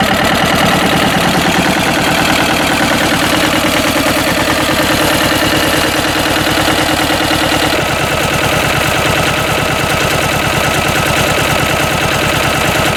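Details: Westwood lawn tractor with Ruggerini twin-cylinder air-cooled vertical-shaft diesel, previously hydrolocked, after repair and new starter motor: even, steady chug with clean firing rhythm, no knocks or misses throughout; normal running.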